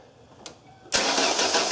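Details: 2001 Ford Escape 2.0L, in neutral, after 2-second fuel pump prime check: starter spins engine with even cranking rhythm but it never catches; crank no start.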